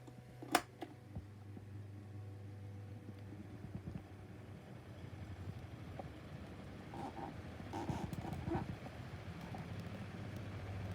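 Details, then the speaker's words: 2019 Schallen 12-inch desk fan on medium with oscillation: switch click, motor hum builds as it spins up, with irregular scratchy rasps from bad, worn bearings; fan is dying. "you can hear the scratch noises now from here finnish fans gonna die"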